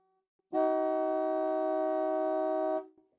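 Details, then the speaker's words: Mid-1930s trumpet horn pair fitted to a Model A Ford, driven through a relay from a larger battery. A two-second blast of a loud, steady, clear chord that starts and stops cleanly, with both horns sounding together. Normal. "that is loud"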